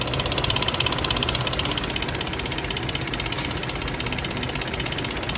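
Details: Infiniti QX60 3.5L V6 (Nissan 3.5), 113,000 miles, all-wheel drive, idling with a fast metallic rattle from the timing chain; timing chain rattle.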